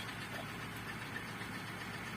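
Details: Opel Corsa Z14XEP after fixing a crank/no-start with the check engine light on, fuel pump now heard priming: a steady, even idle with a smooth low hum and no misses, knocks or hunting.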